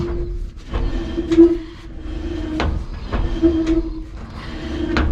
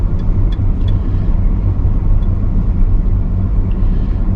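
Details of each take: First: 1992 GMC Sonoma GT rear wheel spun by hand after loosening brake hardware: rhythmic scrape with brief squeal about once a second as it coasts; rear brake dragging, master cylinder internal problem suspected. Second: 1992 GMC Sonoma GT coasting in neutral after rear brake dragging troubleshooting: even low road and drivetrain rumble, no rubbing or scraping; earlier noise gone, brakes not dragging.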